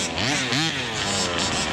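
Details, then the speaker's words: Rovan Baja 5B 1/5-scale RC car, small two-stroke engine, neglected then revived with tune left unchanged: brief blip then steady clean idle, no stumbling or misses; runs perfectly. "Sounds good. The idle, perfect. I'm not gonna touch it. It is running perfect."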